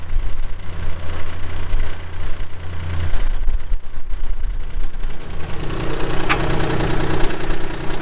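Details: 2022 Kubota L3902 4WD gear-drive tractor with loader, 107 hours: steady low diesel chug at idle with an even beat, no knocks or misses; engine sounds healthy.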